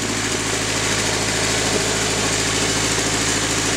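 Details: Nissan 240SX KA24DE at idle: regular ticking and popping at about two or three beats a second over the engine. This is an exhaust manifold leak caused by a broken manifold bolt, since fixed.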